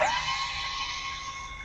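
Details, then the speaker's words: Airstream trailer power tongue jack after warranty shaft replacement: steady high electric motor whine, smooth, no grinding or clicking; runs up and down cleanly. "It is working nice and smooth up and down. How about that?"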